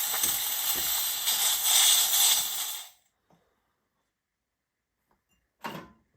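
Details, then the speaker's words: Used bean-to-cup automatic coffee machine, steam wand test: a strong steady hiss for about three seconds, then a clean cut-off. Steam is working fine. "But it is working. Yeah, good. So steam is also working fine."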